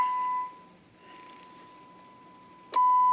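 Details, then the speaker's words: Kraco KCB-4030 AM-only CB radio on bench test with about 100 microvolts (-67 dBm) signal: clean steady tone under quiet hiss heard off-channel, bleeding into adjacent channel 21; poor adjacent channel rejection. "Starting to bleed into 21."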